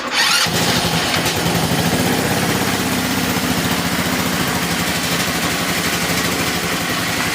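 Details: Retro-style GY6 scooter revived after sitting 15 years, warming up with only topped-up oil. It holds a fast, slightly uneven idle that won't settle; the owner suspects the carb isn't fully clean and the pilot jet isn't picking up.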